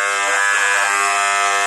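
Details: Moser hair clipper running new with a harsh, very loud steady buzz from a misadjusted vibrating motor; fixed by opening the case and adjusting it.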